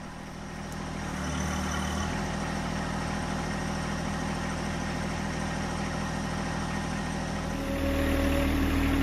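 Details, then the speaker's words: John Deere 1025R diesel under load while the loader strains to lift a chicken coop: a steady drone, then a thin whine rises; the owner is unsure if it is hydraulic whine or the front steering, which has no grease fittings. "now if you listen to this noise is that a hydraulic wind or is that just the stirring in the front and if it is the steering is there a way to lubricate that i have no grease fittings up there"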